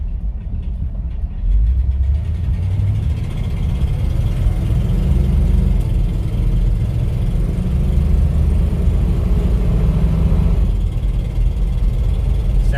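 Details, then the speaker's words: 1959 Cadillac DeVille 6.4 L V8 after new intelligent spark plugs and timing adjustment, floored on a mountain road: deep, even roar builds smoothly with no misfire, stumble or knock, sounding a little more powerful; healthy full-throttle acceleration. "once we have a clear path we're gonna roll her all the way down to the floor and we'll let you hear what she sounds like"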